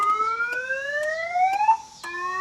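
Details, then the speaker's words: 2000 Chevrolet Impala that won't start, key fobs not working, radio dead, security light flashing: repeating rising electronic wail with sharp chirps cycling about every second; alarm sounding unexpectedly, cause unknown. "The radio is not working. The alarm goes off every time I turn around."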